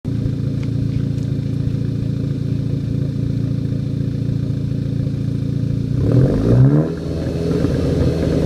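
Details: Car with an APR K04 turbo, stationary, held at part throttle. It runs uneven and lumpy, then blips higher: part-throttle misfire.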